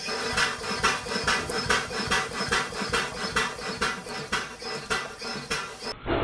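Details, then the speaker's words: Restored fairground steam engine that once drove a compressor supplying wind for an organ: soft, even wheezy exhaust puffs with steam hiss between beats; running smoothly. "listen to this one in slow motion what a lovely wheezy steamy sound"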